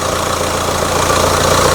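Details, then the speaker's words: Ford Kuga 1.5 diesel (2017 or 2019), previously stalled and would not start, running after a broken wire was repaired: steady, even diesel idle with a regular low beat, no misses or knocks; smooth normal idle. "Ну всё, автомобиль запускается, работает."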